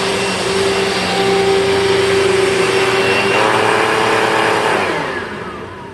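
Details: 2000 Dirt Devil Featherlite upright vacuum, test run with a bag after four bearings were rebuilt (two brush roll, two motor): a loud, steady high whine with even pitch, no grinding or rattle, then a smooth wind-down. Bearings healthy, running normally.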